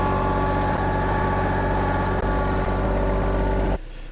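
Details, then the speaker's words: Tractor carrying a compost load up a very steep hill: deep steady diesel drone with low pulsing beat as it pulls hard, then drops off; engine labouring under load. "Getting very steep here. You can hear by the motor. It's starting to feel the load and the lack of"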